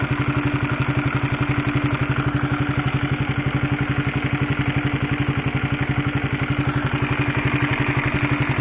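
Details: Honda CB150R motorcycle, mic held close to engine: fast, even metallic rattle about four ticks a second over steady idle, like a sewing machine; worn, noisy cam chain (tensioner chain), to be replaced with a DID chain.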